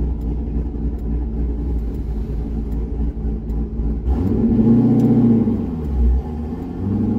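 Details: C6 Corvette with aggressive camshaft and long-tube headers, new HP Tuners idle tune flashed, kept to part throttle: deep steady V8 lope settling evenly, then pulling cleanly with throttle; healthy idle and part-throttle running, idle tuning about 80% done.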